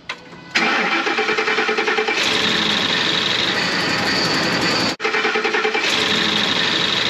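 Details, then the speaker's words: Ford F-150 5.4 3-valve Triton replacement engine, ticking on startup, run with valve covers off at the engine builder's request: fast uneven metallic rattle from one side at idle; camshaft sprocket suspected, not confirmed. "a replacement engine installed in this and on Startup it was making a ticking noise"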